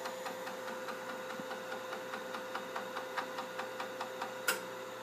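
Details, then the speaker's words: Altair FDC+ floppy controller running the disk mount procedure across all 77 tracks; a crisp, even run of light ticks about four a second over a faint hum as the head steps. Normal head stepping. "Here you can actually hear it stepping. Again, we're doing the 77 tracks."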